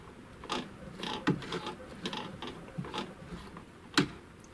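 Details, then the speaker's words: Chaika-2 sewing machine, zigzag set to 5, hand-turned: sharp irregular light knocks about once a second as the rod rides the cam copier; knock persists after removing one of two shims, play in zigzag mechanism. "Стук присутствует."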